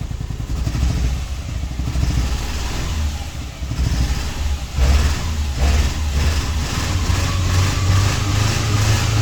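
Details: Subaru Impreza petrol engine with codes P0301 and P0303 (cylinder 1 and 3 misfires) and P0038 (oxygen sensor heater) starts and runs rough with an uneven low rumble.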